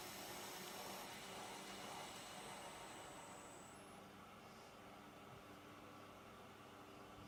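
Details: Lathe turning hex stock on the compound: a steady, even cutting hiss with no rhythmic chatter. The cut has moved from an interrupted cut on the hex flats, which vibrated, to a smooth continuous cut.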